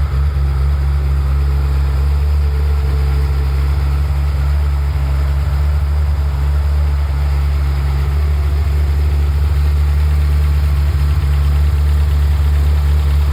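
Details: Ferrari F355 after warm-up, normal condition: steady, even low rumble with no knocks, misses or ticks; smooth settled warm idle.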